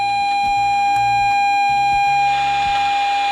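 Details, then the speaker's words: Repaired Scuola Radio Elettra SRE 412 modulated oscillator on medium waves with internal modulation, output held near radio antenna at the radio's tuned frequency: clean steady whistle around 800 Hz from the radio, no wavering; modulation tone working. "we should hear a whistle coming from the radio. Something can be heard."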